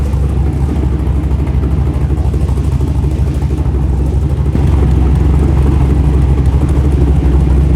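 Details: LS V8 (LS3 tags) in a rock buggy build after start prep, owner's tune loaded, header hot: low, steady, throbbing idle with even pulse. Ran and idled okay, better than before; small leak noted, transmission fluid likely low.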